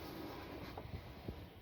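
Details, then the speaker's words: ResMed AirSense 10 CPAP after motor disassembly and blowing out foreign particles, new filter, ramping to pressure 8 while breathing: soft steady airflow swelling gently with each breath, no rattle or whine; noise fixed, normal blower. "I breathe and I am proud to say it is fixed"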